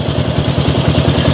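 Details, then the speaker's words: Honda Revo Fit fuel-injected motorcycle after repair (camshaft bearings 6904 and 6001, throttle-body idle air adjuster replaced): deep, even, steady idle that no longer stalls as it did at first; smooth, normal idle. "jika Hai suara mesinnya halus lembut kepalanya ya standar"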